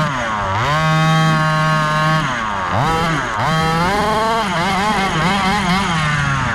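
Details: Gas-powered Rovan Baja 5B 1/5-scale buggy, test run after a crash rebuild with a new differential: small two-stroke buzz sweeping cleanly up and down with throttle, no misses or rattles. Running normally.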